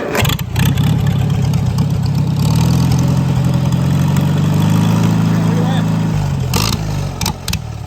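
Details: Farmall Super C tractor after replacing the throttle return spring in the governor, in neutral: it fires, runs up briefly and settles into a smooth, steady idle with an even low beat. Normal idle; throttle now responds.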